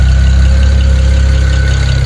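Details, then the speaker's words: BMW 135i E88 N54 at idle after oil pan gasket replacement: a loud, smooth, even throb with a faint steady whine and no odd noises. An earlier noise was blamed on remaining air bubbles, expected to clear with time. Normal idle. "Le moteur il fait pas de bruit bizarre."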